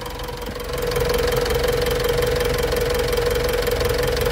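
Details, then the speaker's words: 2018 Mitsubishi Triton HDX 4x4 diesel, 120,325 km, at operating temperature: even, steady clatter about four beats a second with no misses, smooth and responsive; normal warm idle. "kita dengarkan suara mesinnya mesin sangat rata halus tidak"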